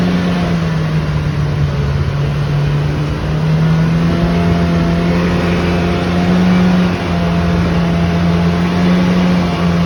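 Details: Loud, steady low drone over the engine's roar throughout; abnormal noise, source not pinned down.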